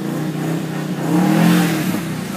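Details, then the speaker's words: 2009 Subaru WRX manual, clutch fully released: revs flare for about half a second without load pulling them down, then drop; car won't go, clutch slipping, smoked clutch to be replaced. "this thing does not want to go yeah that revving that clutch is all the way released right there and it uh it's just not grabbing at all"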